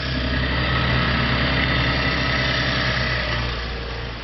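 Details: 2013 Chevrolet Camaro (fifth gen) after alternator replacement for a bad decoupler pulley: steady even idle, no knocks, squeals or belt chirp; charging at 14.86 V; healthy.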